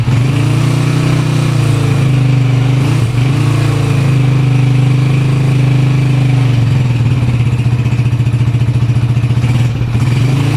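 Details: Honda TMX 155 single after overhaul with new piston and connecting rod, breaking in: even low thrum at about three to four pulses a second, no knock or rattle; engine runs healthy.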